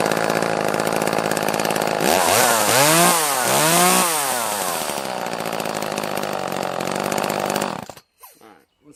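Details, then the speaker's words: Echo CS-330T top-handle chainsaw, bought cheap as a non-runner, possibly out of gas: revs up and down twice, then sags, sputters and quits as it dies out starving for fuel; fuel starvation stall. "cuts now yeah so that sound as this thing was just dying out that was starving for fuel sound and uh"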